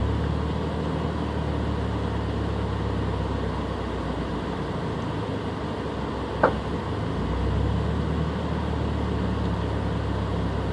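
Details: Subaru BRZ with stock engine, no check engine light: low, lumpy, uneven idle that struggles to hold, with a brief stumble and rev dip each time rpm drops; rough idle with misfire.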